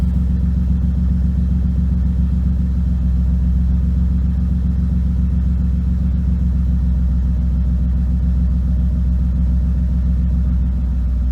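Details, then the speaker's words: BMW E36 started after sitting a couple of days: a low idle rumble with an uneven, lumpy pulse. It is rough and possibly misfiring; the owner suspects the spark plugs but is unsure. "Good morning, Betsy. A little rough. Rough. Something's not happy."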